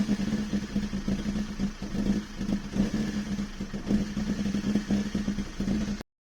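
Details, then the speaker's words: Toyota 2E engine with a 272-duration TRD-spec regrind camshaft, just installed, at idle: choppy, loping idle that rises and falls, trying to shoot flames. It needs throttle held to keep idling. Lumpy performance-cam idle. "she's she's definitely i can feel her man she's a um pretty uh lumpy cam for sure i have to keep my foot on that just to keep that idling"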